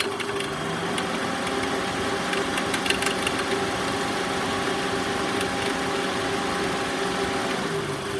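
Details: Toyota Estima ACR50 at idle: a steady, faint mid-pitched whine rides over the idle without changing, pointing to a noisy alternator.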